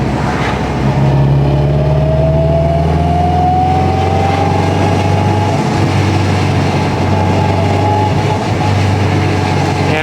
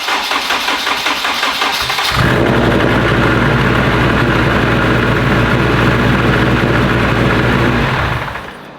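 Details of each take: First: 2021 Honda Civic Type R with freshly rebuilt engine, straight-cut gears 1–4 and transfer gears, cruising at 169 coolant temp, 58 psi oil pressure, AFR mid-14s: steady drone with rising straight-cut gear whine, no misses or knocks; running very nicely. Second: Modified Honda petrol engine with 2000cc injectors, first start on pump gas: cranks, catches and idles roughly, missing on a cylinder or two; later traced to a throttle body not opening (wiring) and injector scaling, suspected running very rich.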